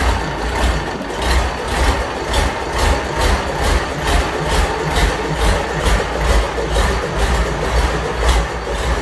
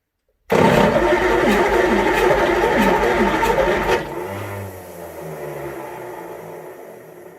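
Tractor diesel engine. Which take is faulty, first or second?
second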